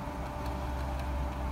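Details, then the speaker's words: Canon G3111 inkjet printer during a factory reset after its panel froze: a low steady motor hum with light ticks about half a second apart as the mechanism cycles through start-up; normal, wait for silence before continuing. "e aí, tá vendo, ela tá armando ainda pessoal, nós temos que esperar para fazer armação do sistema dela"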